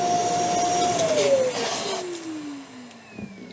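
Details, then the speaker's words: Metabo ASR 36-18 BL 25 M SC cordless wet and dry vacuum at full power: steady high motor whine suddenly winds down as the electrode full-tank cutout stops the motor to protect it. "on now this machine again has got electrodes like the small one so it's a cutout feature to protect the motor if it's full"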